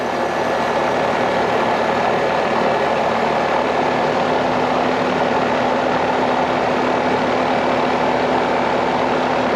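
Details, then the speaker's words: Carrier AC after a compressor changeout, started while refrigerant is drawn in through the suction line: a steady, even hum with a constant mid tone and a faint higher whine, no knocks or rattles. Normal compressor running. "So, Let me go ahead and fire it up. Here we go. Sound good."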